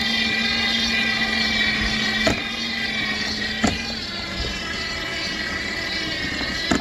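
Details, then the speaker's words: Dolphin S300i pool cleaner that would run a second then stop. Sharp, irregular clacks land a few seconds apart over a steady motor hum as the drive track skips on its sprockets. The owner suspects worn tracks; tightening makes it go away. "i think it's skipping i think that's what the problem is"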